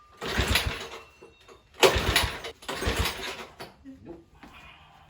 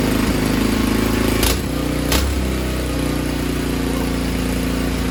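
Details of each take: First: Tecumseh H35 Sears mini bike engine spun with a drill, with fuel present and a swapped CJ8Y plug: three brisk cranking bursts with no firing stroke; no-start. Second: Tecumseh H35 engine from a Sears mini bike, after repairs and reconnecting the governor throttle spring. A small single thumps at a steady, even beat with no misses or surging, then winds down cleanly at shutoff: normal running.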